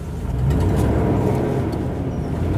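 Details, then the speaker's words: 1990 Land Rover Discovery 1 V8, 173,500 miles, slightly leaky exhaust manifold: a steady deep whooshing roar over a low idle right after a cold start as the viscous fan is locked up, expected to quieten shortly. "viscous fan roaring the way at the moment that will quieten down momentarily and away we go"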